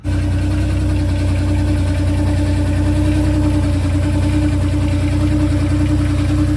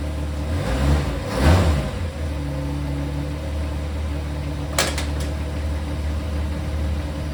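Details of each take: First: Mustang on blocks, engine starting and idling fine but no drive or reverse: constant droning hum over the low rumble; torque converter suspected failed, and it blew apart completely. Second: Mustang after the blown torque converter was replaced and the A/C compressor deleted, idling on blocks. The engine fires and settles into a steady, even hum with no whine, knock or clunk from the transmission. Normal idle; the noise is gone.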